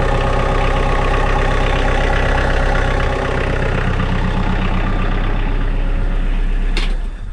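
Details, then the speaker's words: 2012 Kioti DK40se HST diesel tractor in snowy spring weather, after replacing the glow plugs that caused hard starts and white smoke. First start gives a smooth, even idle clatter, then shutdown, with no white smoke or hesitation: normal diesel idle. "I have absolutely no white smoke there no hesitation whatsoever and so that's a beautiful thing"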